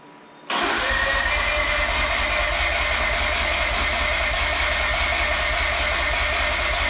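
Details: Mazda RX-8 freshly rebuilt rotary, after deflood procedure with plugs out, plugs reinstalled: starter spins engine at steady even rhythm for several seconds but never fires; crank-no-start, cause unconfirmed.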